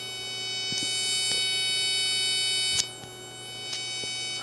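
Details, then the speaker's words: Second-hand 2-channel hi-fi amplifier with no signal: steady thin electrical buzz, caused by cracked solder joints on the preamp board. "But when I got it home, even though it worked and the guy showed me it working, like it does work, but there is a buzzing sound that's come through it."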